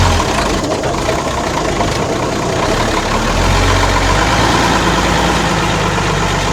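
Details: Ex-Australian Army International ACCO 6x6 truck with a Perkins 6354 six-cylinder diesel, just started after bleeding air from the fuel lines: steady, even idle with a smooth low thrum, no knocks or misses; normal diesel idle.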